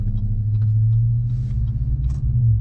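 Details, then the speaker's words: 2015 GMC Sierra 1500 Denali on 295/55/20 Nitto Ridge Grappler tires after 2 years, cruising: steady low droning tire hum under the exhaust, no knocks or rhythm changes; ordinary tread roar, fairly loud but quieter than Mud Grapplers. "you don't know how much you can hear tire noise by your exhaust too but aside from being really stiff these tires are kind of loud i mean they're not super loud like a mud grappler those are really extremely loud"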